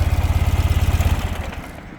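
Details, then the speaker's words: 2013 Ural Patrol twin after light revs: the even low thump settles back to a steady idle and fades out smoothly with no stumble or misfire; mechanically sound. "it is really nice to hear that engine fall right back to Idle No stumbling whatsoever"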